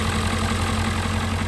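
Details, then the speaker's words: 1997 Ford Powerstroke diesel idling just after its first start in about two years, with white smoke. Deep, steady clatter with an even low rumble and no misses or knocks; a knock was later suspected and charging is weak. Normal diesel idle. "Oh my god. It's been years. All right. She sounds good."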